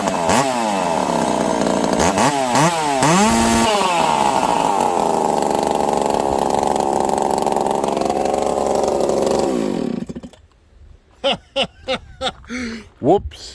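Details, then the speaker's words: Husqvarna 372XP chainsaw (description says 362XP) with a prototype exhaust pipe, cutting knotty wood; crisp revving bursts, then a strong steady high scream through the cut without bogging, dropping to idle; owner thinks the pipe may be slightly too open; normal cutting under load. "It pulls though, friends. It pulls hard. I noticed an increase in pull in that first cut."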